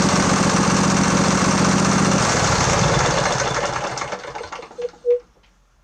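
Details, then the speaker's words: Craftsman LT1000 20hp riding mower after carburetor repair, fuel solenoid valve working, primed carb, new spark plugs, started without choke: even steady thrum, then winds down and stops; it runs awesome. "it's the season so it runs awesome"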